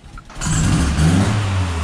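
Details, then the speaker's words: Nissan 240SX project car, first start after sitting a long time on old tank fuel. It fires on the first try and settles into a steady idle with no rod knock heard yet; normal start. "That fired up on the first try. Is this thing idling?"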